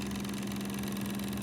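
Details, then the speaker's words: Zenith YT960 console's Z57 reel-to-reel (Wollensak 5730) transport running: a steady low hum with a rough rumbling whir from the noisy idler wheel, which needs refurbishing. Belts are also missing and need replacing. "you can hear how noisy it is we got to send that uh idle wheel in um to get refurbed"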